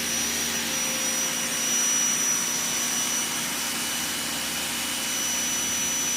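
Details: New Ryobi 2000 psi electric pressure washer with jet nozzle, spraying: steady, even high whine with no surging or dropouts; pump and motor running normally.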